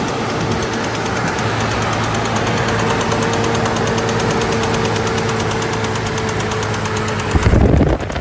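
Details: 2006 Chevy Trailblazer at idle: loose, uneven knock about three or four times a second over a steady low engine drone; cause undetermined.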